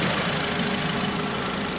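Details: Warm Audi TT Mk3 idling after water pump and thermostat replacement, coolant cap off to bleed air; heaters now hot showing circulation, temperature back to 90°; steady even idle, smooth hum, no knocks or misses; normal.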